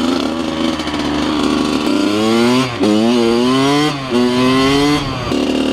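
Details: 2003 Kawasaki KX100 junior motocross two-stroke ridden under load: crisp wail climbing sharply through several throttle bursts, clean and responsive, no misfire; fast, punchy power band, healthy engine pulling hard.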